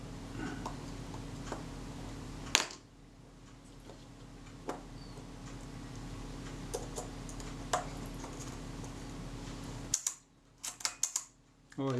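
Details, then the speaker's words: Shutter of a serviced camera after readjustment to fix running too fast: crisp, even single clicks over a faint room hum. The tester showed the speed exactly right. "sounds better i'll go and test that back shortly that was exactly on the money so carry on and close this up"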